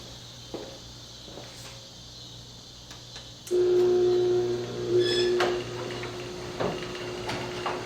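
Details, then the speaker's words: Liftmaster 8500 garage door opener running: smooth, steady low motor hum, whisper quiet, with a light click near the end as the deadbolt lock engages at the bottom; any rattle is from the door spring. Opener running normally. "I mean, that thing is whisper quiet. I love it."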